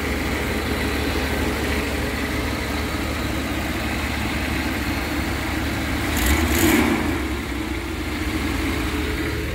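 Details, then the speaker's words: Engine after head gasket replacement, warming up, oil burning off the exhaust manifold: even idle with smooth low hum and one brief throttle blip, quieter than before; previous leak was on passenger side, none seen now; normal idle. "sounds quiet sounds quiet than before make sure it's not leaking"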